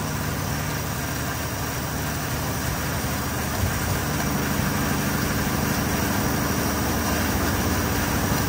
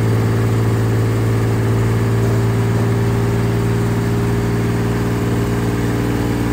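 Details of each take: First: Car engine after fuel pressure regulator work holds a steady but fast idle with no dips or hunting; idle still slightly high, so the idle screw is turned down. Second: dang listen to her purr I think we're in a much better place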